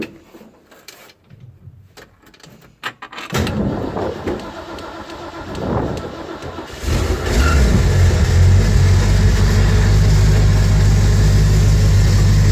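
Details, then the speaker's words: 1969 Mustang Fastback before restoration, starting up; cranking in uneven, hesitant surges as the starter seems to disengage and re-engage, then the engine catches and settles to a strong idle with no knocks or taps. "hear the starter motor trying to, I don't know, disengage, re-engage. There we go. So the starter motor's not happy, but aside from that, you know, she seems to run okay."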